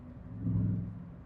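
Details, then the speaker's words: Renault Clio 172 Cup petrol engine misfiring, running on three cylinders, lumpy through a light rev blip; plugs, leads, coil pack, injectors checked, sparks looked weak; issue later cleared by itself. "It's not right. Like,"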